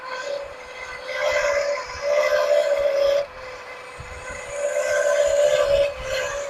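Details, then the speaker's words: 1979 Lincoln Continental 400 V8, abandoned 32 years, idling after first revival start: harsh, gritty grinding rising and falling over a steady whine, confirmed by probing as the smog pump; smog pump bearing grinding. "That sounds horrible, don't it? Not sure, but it could be that smog pump too."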